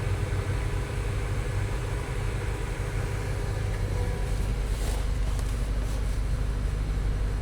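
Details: 2019 Honda Accord starting up after its dead battery was dealt with, while checking a check engine light: low, steady, even hum with no knocks, ticks or surges; the engine settles into a smooth, healthy idle.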